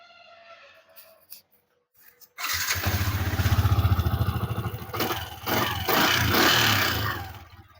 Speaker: Ya ini sudah halus ya. Tadinya suaranya itu kayak piston ngeplek gitu ya, piston beset.